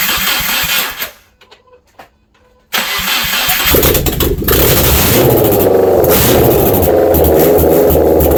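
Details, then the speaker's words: Subaru EJ253 first start after replacing bent valves and fitting new head gaskets, no exhaust fitted, alternator disconnected, jumped from battery, coolant not filled: short crank, catches, revs and settles into a loud open-pipe idle; starts and runs properly. "foreign she runs"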